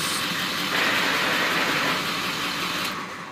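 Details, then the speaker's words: 2000 Ford F250 idling in neutral: silent with the clutch pedal in, noise returns when the clutch is released; no noise when driving in any gear or reverse. Steady hissy whirring over the idle, no clear knock, source unknown. Transmission noise in neutral. "reverse while you're driving there is no strange noises so this noise comes in kicks in only on neutral that's it"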